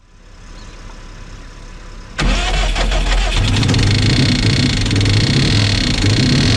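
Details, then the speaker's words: Car from an STI/EVO build starting after a jump from a dead battery: silence, then the engine catches into a rough idle with fast, fairly steady tapping. The owner suspects the valve train rather than rod knock; unconfirmed. "that didn't sound too good that could have been the Val train that's what it sounds like uh I don't think it's rod knock I think it's more of a valve issue"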